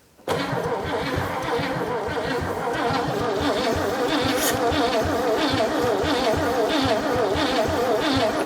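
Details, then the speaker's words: 1957 Chevy V8 off the road since 1979, plugs in with correct firing order and gas poured in: steady cranking about 150 per minute with no firing; spark lost again, owner suspects ballast hung open and plans to bypass it. "are you kidding well let me pull the distributor cap back off and just see what's the heck's happening again"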